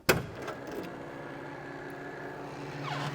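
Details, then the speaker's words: 1977 Cadillac DeVille: solid clunk as the key turns at the trunk, then a smooth motor whirr as the GM automatic trunk closer releases the latch normally. "This is the era where GM started putting automatic trunk closers. And a lot of people were used to the 50s and 60s by now, and they would slam the trunk and break that thing every time. They was breaking like crazy. You don't slam these trunks. In fact, when I turn the key, you'll be able to hear it releasing."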